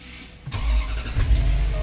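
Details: 2011 Range Rover after transmission programming with SDD scanner: short crank, engine catches cleanly and settles into steady smooth idle; normal start.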